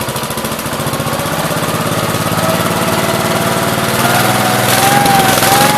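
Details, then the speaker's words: 1969 Gravely 432 with a rebuilt K321 14 hp single-cylinder engine and a new piston, running for about half an hour. Even thumping that climbs slightly in speed, firing steady with no knock or miss; healthy normal running. The owner suspects a poor fuel pump. "so it's been sitting here running for every bit I've got a half an hour so pretty happy with it"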